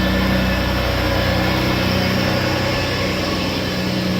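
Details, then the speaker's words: 1987 Ferrari Testarossa V12 with just over 4,000 miles and a changed exhaust, started cold in an enclosed space during a pre-purchase inspection: a steady, slightly lumpy low idle with rich smoke and no knocking. "retain rich royal smoke that was present"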